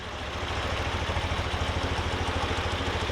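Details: Twin carburetors synchronized with the Harmonizer gauge after idle speed adjusters were raised from 700 rpm: even, regular low pulsing with both cylinders firing alike and no stumble; carburetors balanced and idle healthy.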